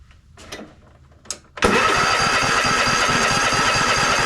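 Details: Toro TimeCutter MX4200 74765 zero-turn, had smoked and died off choke; after refitting fuel lines and fresh ethanol-free fuel, engine catches on first pull and settles into steady even fast run, no surging or stumbling; cause of earlier smoking still unknown.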